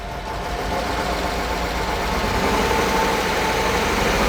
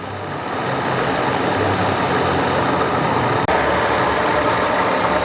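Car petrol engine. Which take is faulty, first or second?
first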